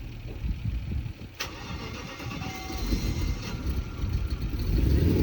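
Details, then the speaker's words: BMW E38 with a petrol V8, stalled and suspected out of fuel with no leak found, restarted after adding petrol: brief churning crank, then it fires and builds to a deep, steady, rising rumble; starts and runs normally. "Yes! LET'S GO! YES! YES! We filled the same amount of diesel I filled diesel he filled petrol."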